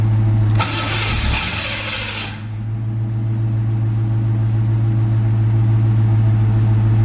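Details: C4 Corvette after jump-starting its dead battery: the starter churns under two seconds, then stops, leaving a low drone without the engine firing. Crank, no start.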